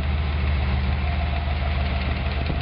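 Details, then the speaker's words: Wagon with 302 V8 (Project 302), valve adjustment at idle: steady rumble with a light, fast clacking from a deliberately loosened rocker, which is then tightened until the clack stops, plus a quarter turn. "There you can hear it clacking. Yeah. Now we'll tighten it up until it just stops."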